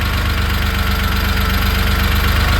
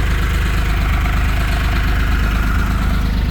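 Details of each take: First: 1970 Porsche 911T restomod with carburetors and MSD ignition, air boxes off while still dialing in: steady, fast, even idle pulse with no misses, sitting a touch high; carb idle needs turning down slightly. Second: 1970 Porsche 911T restomod, exhaust extended into a 2-into-1 with a larger tip: deep, even idle burble with a steady beat, no misses or knocks; engine and exhaust sound healthy.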